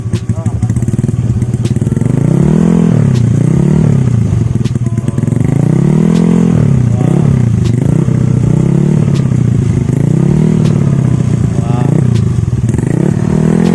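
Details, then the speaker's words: Honda Beat scooter upgraded to 125cc with big valves, 125 throttle body and 125 injector, hard to start cold: repeated revs rise and fall unevenly with slight stumbles. Rough response from ECU mapping that is only temporary and not yet finished. "Jadi ini teh si ecunya belum belum sempurna ya. Belum mapping benar-benar belum sempurna."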